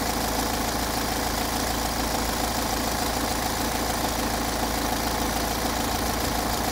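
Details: Peugeot 508 2.0 HDi 163 hp diesel, 2011, 224,000 km, warm idle: faint steady whistle over the clatter, absent cold and louder after a few km; owner suspects camshaft chain, cause unconfirmed.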